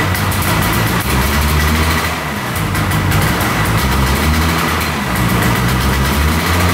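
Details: Arctic Cat Panther 440cc two-stroke snowmobile, after a broken ignition coil wire was repaired, started on choke: fires and keeps running with a steady buzzing beat that swells slightly; sled sounds healthy once running.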